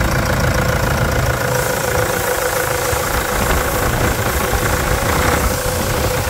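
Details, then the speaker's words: Toyota Hilux with the 3.0 diesel (KD block) at about 300,000 km, idling after a full service with new filters and a replaced radiator reservoir: steady, even diesel clatter with no misses, knocks or surges, a healthy engine. "é muita melodia né esses motor 3.0 tem uma torrada de cemitério"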